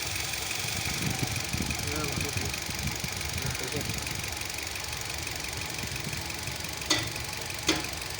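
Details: Hyundai Venue petrol engine at idle: an uneven, stumbling idle with irregular low thumps and dropouts instead of a smooth beat. The engine is misfiring and the cause is not yet clear.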